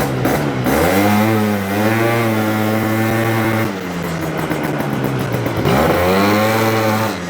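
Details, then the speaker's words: Yamaha BWS 100 two-stroke scooter with Malossi 125cc kit, airbox fitted: revs rise quickly then flatten at a steady mid pitch, never climbing into the higher scream; pulls quick with fine bottom end but not kicking into the power band. "But it's not kicking into the power band. No. Like I can hear it's not quite getting into it there, but it's pulling quick."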